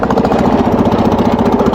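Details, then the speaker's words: Wheel Horse single-cylinder engine under load: fast, hard, uneven clatter, running rough and mechanically unhealthy, and it got much worse before the machine was parked. A broken point/condenser connector and the spark plug popping out of the head were later found. "the symptoms are when you put the engine on the load it makes this weird sound which if any of you guys have watched enough of my whale horse videos you know it's not supposed to sound like this"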